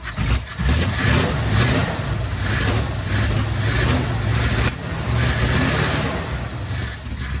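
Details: 1972 Chevy K10 4x4, 350 V8, sitting 20+ years, fuel squirted into the carb: uneven low chugging while cranking with rough, irregular firing attempts, never idling; a major backfire, firing order to be checked.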